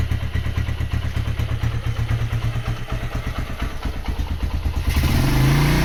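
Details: Honda GL100 CDI after its engine rebuild and bore-up to Megapro spec (160 cc), with a Megapro piston and the 40 sprocket swapped for a 36. It shows an even, regular thumping idle, then a clean rev with no knocks or rattles. The light exhaust lacks the typical GL sound. The engine runs healthy.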